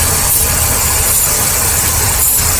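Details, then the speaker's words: Ford Taurus with P0171/P0174 lean codes idling while hoses are sprayed: bursts of aerosol hiss, idle stumbles when the spray hits a worn hose on the PCV valve, a vacuum leak. "oh did you hear that it stumbled there when I sprayed that I think we found our problem"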